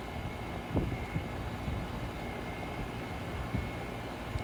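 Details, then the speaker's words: Upstairs home AC outdoor unit that was not cooling, running after the capacitor was replaced; condenser fan and compressor running, low even fan rush with faint steady high tone, no clicking or labouring. Normal running. "fan has started. I don't know if you can see that on the camera or not. And I can hear the compressor running. So that was it."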